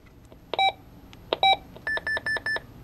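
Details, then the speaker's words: Micronta Vox Clock 2 (Radio Shack talking clock, 1986): the button gives only a click, then short erratic beeps and four even tones instead of speech, even with good new batteries; cause unknown, and it later started working again. "when you push the button you can hear I click sound and nothing else happens I've tried new batteries batteries that are in it are good just you can hear up there goes sometimes it will make a noise but it's beeping"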